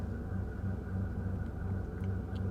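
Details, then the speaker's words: Mercedes SL600 twin-turbo V12 just started at auction, ABC and battery warning lights on: steady low idle with faint pulsing hum and thin whine, strange noise from under the hood, cause not pinned down. "oh it fired right up we have an ABC warning light immediately a battery warning light immediately that's always good I hear it strange noise from under the hood"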